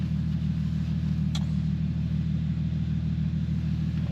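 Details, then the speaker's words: Infiniti G37/Nissan 370Z after throttle body cleaning, idle relearn not completed correctly: smooth, steady idle slightly high with no hunting. "Data logging. It's a little high, but I don't think it's like anything too crazy to be worried about, hopefully."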